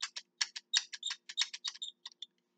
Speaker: i have to lock the box now i still use them they're still good you hear that squeak